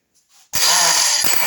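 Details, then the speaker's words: Norvil Commando electric starter with a failing sprag bearing after a WD-40 treatment that lasted only weeks; a click, then a high hissing whir as the starter spins freely without engaging. It engages softly about 50% of the time. "yeah that's it failure to engage very soft and it catches so it's about 50 50 at the moment"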